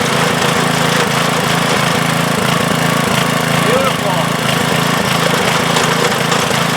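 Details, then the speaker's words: 1992 MTD rear-tine rototiller, 5 hp Briggs & Stratton, after replacing failed tine control cable (tines wouldn't disengage), cover off: runs at a steady fast beat with slight clatter, smooth and even; back in business. "[Applause] beautiful excellent so we're back in business I can put this cover back on"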